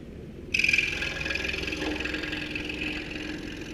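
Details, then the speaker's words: Scroll saw cutting wood at its tightest turn, cutting almost on a dime; a thin, steady blade whine starts, marking roughly the minimum radius it can cut. "You can cut pretty much on a dime. Turn it pretty tight. You hear it start to whine a little bit. That's probably the maximum radius that you're going to be able to cut."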